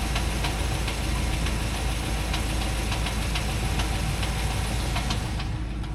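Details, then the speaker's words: Owner's truck, the only vehicle, makes a steady light tick about two to three times a second over a rough, even idle, likened to a drum beating; the cause is not yet found. "What is that little drum in it that it's doing? A drum beating."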